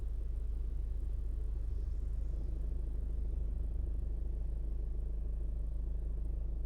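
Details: 2016 Ford Focus at idle: steady dull low knock about three to four times a second; a slight rev stops it for some seconds, then it returns; cause unknown.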